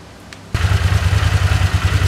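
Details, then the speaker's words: Vintage Honda CX500 twin motorcycle idling after carb and ignition work, following fiddling with the vacuum on the side where an intermittent popping was heard. Steady, even low thump with no popping or stumbles; normal, smooth idle. "so it's idling pretty nice actually right now"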